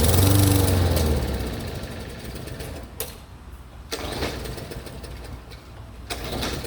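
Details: 3814 mower that won't start: a brief engine sound fades out, then several separate pull or crank attempts follow and none catch. Crank, no start, cause unknown.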